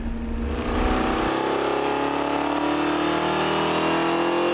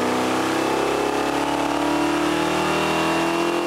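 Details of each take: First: Bracket race V8 from repurposed parts on the dyno, full-throttle pull after three more degrees of timing, longer studs and a one-inch spacer: loud smooth climbing pull, no misses, pops or knocks; crisp normal run. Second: Bracket race engine from repurposed parts on the dyno at full load after swapping to lighter advance springs, during break-in: steady pull with flat, thin note; engine starving for fuel, lean mixture, jets and squirters to be increased.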